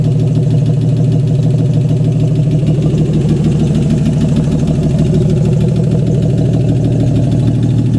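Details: AMC 199 engine in a 1951 Hudson Hornet, just reassembled after a cylinder head rebuild and started: smooth, even idle with a steady low thrum about three pulses a second; normal idle, running good.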